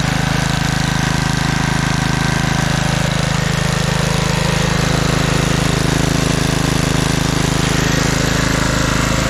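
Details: 1997 Craftsman II 30" rear-engine riding mower, 13.5 hp Tecumseh engine, test run while mowing: single-cylinder putters at a steady, even beat, no misfires or surging; carb running great, smooth and quiet. Normal running.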